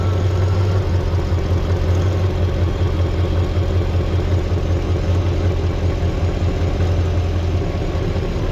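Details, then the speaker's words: LT1 Chevrolet Caprice V8 running without a water pump, with the original Optispark cleaned of oil, just started and not warmed up: smooth, even idle with no misses, no leak and no longer a bad ticking, though with slight hesitation. "That's not leaking. It's running. Sounds like smells like the same nasty Caprice that I always had."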